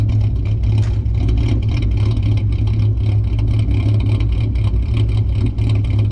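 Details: 2008 Ford Mustang 4.0 V6 idling with deliberate vacuum leak through the opened EGR line (idle chop mod): deep idle with a rhythmic choppy lope.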